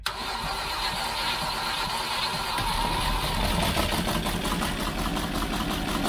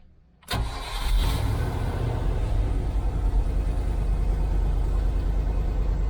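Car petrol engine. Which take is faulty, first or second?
first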